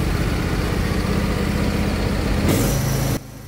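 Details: Husqvarna 22V46 riding lawn tractor, bought with a reported smoking engine, parking brake on, 12.5 V battery: the small engine starts quickly and runs steady and even with a low regular beat, then briefly revs and cuts off cleanly, a normal start and rev.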